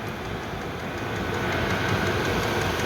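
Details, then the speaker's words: Chinese 5kW diesel heater on kerosene, 12V via transformer, 5 minutes after start, pump at 5.5 Hz, blowing hot air: steady rushing burner roar with quick ticking pulse underneath; normal running at full power. "it's now been running for 5 minutes um from start on on start up um and it's now chucking out hot real hot air that is"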